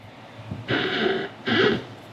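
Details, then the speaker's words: 2014 Jeep Wrangler Unlimited Sahara: two squeaky, creaking groans as the brake pedal is pushed, suspected from a dry Teflon bushing at the pedal pivot, to be sprayed with lubricant. "So what I think is happening is that there's a Teflon bushing in there that is a little bit dry."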